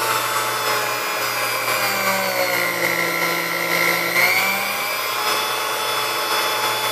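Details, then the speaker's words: Chrome Sunbeam Mixmaster Model 12 motor during service, brushes good, grease due for change, resistor suspected out of spec: a steady high motor whine whose pitch wanders slightly at top speed, reaching just past 10. The speed control needs adjustment. "Alright, so as you see, we have, you know, we have speed range all the way up to just past 10. So it sounds like it needs a little bit of adjustment here."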